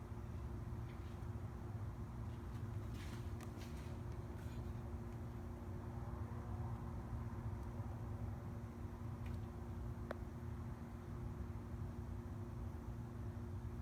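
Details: 2003 Mazda Miata NB at idle after cleaning the air intake system, IAC valve especially: a steady, even low hum with no stumbles or dips. The earlier rough idle is gone and the engine holds a clean, stable idle.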